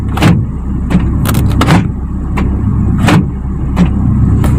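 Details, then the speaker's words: 2001 Hyundai Atoz GLS central locking operated with the engine idling: several lock clunks with one landing late, notably the front-left door; sluggish central lock actuator, a common fault on this car. "kompak bunyinya jadi ayah ada yang kancut kancut lihat ada yang ketinggalan terutama di sebelah kiri depan ini ya ini sering error sering bermasalah"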